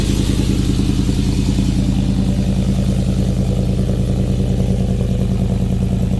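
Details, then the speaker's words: 5.3L Silverado V8 with a 2024 C8 intake manifold, 2019 ZR1 throttle body, headers and cold-air intake, untuned; a loud, lumpy, wavering idle at about three pulses a second that struggles to stay running. "so yeah you can hear it having a hard time uh idling like I said none of this is tuned"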